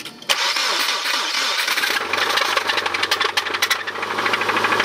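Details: Subaru Impreza RS after a rallycross: engine cranks, catches and idles with a sharp rapid metallic knock following revs; rod knock.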